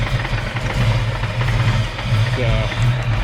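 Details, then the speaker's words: Fox Body Mustang convertible, freshly swapped 306 V8, computer already swapped, timing around 10 degrees: low lumpy stumbling idle ready to die, wants to shut off; check engine light on; failing TFI ignition module, distributor swap planned. "back to 10 degrees guys it wants to shut off yeah it wants to shut off again around 10 degrees"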